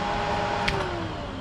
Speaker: And we can hit the front fan. You hear that kicking on, doing good.